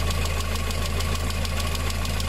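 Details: VW engine with timing chain, idling: a light, fast, even tick about six times a second over the engine rumble. Suspected hydraulic lifter tick on water-mixed oil from an early-stage blown head gasket.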